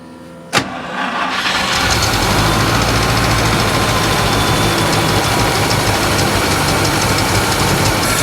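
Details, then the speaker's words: 1964 International service truck, first start after hooking up the fuel pump and fixing a leaking clamp. Catches, then idles unsteadily with a stumbling, uneven beat, seemingly on about six cylinders; misfire, low oil pressure, likely needs a tune-up. "well it's running guys it is running a bit rough though I'd say six cylinders"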